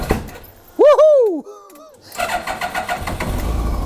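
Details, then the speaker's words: Mazda MX-5 NB MK2 turbo engine build, first start after fitting turbo with scavenge oil pump: brief starter whir, catches within seconds and settles to an even idle with slight turbo whistle, no knocks or misfires. "There you go. She's running. So that's a good start."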